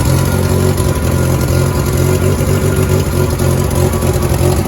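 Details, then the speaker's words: 1988 VW Polo MK2 Breadvan after refitting cleaned carburettor, long stored, revved at start then settling: idles with puffy uneven chuff; exhaust leak at manifold-to-downpipe joint making it run unevenly, though much improved. "It does sound a bit puffy because that exhaust leak, so it does make it run a little bit uneven, but it's a big improvement to how it was when I got it."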